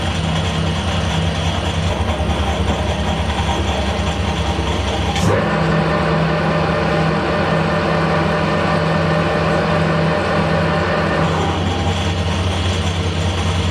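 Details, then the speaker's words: Harrison L6 12-inch lathe after clutch repair, about 1,000 rpm: steady low drone, click as clutch engages, then even healthy run; clutch now works, though one plate with elongated holes rattles and the brake is weak. "So let's see what happens when we do the handle. Hey, that's fantastic. Let's engage it. Oh, that's brilliant."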